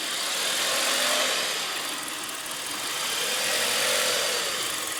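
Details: 1998 Audi A4 B5 with code P1545: idle surging from 1400 down to 800 rpm, slowly rising and sagging repeatedly.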